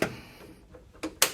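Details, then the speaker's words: 1957 Chevy with Holley system, first drive out of the shop, key-on with engine not running: a few sharp irregular ticks; cause unclear. "here we go hear the fuel pump you have to wait you'll have to wait but I like to see the screen light up"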